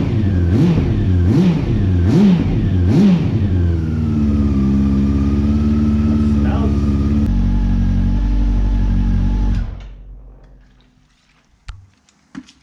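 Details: 2009 Honda CB400 V-Tec four-cylinder, sat for years, run after fuel pump replacement; fires cleanly on all cylinders, rises and falls smoothly through quick revs, then settles to an even idle before shutting off; healthy.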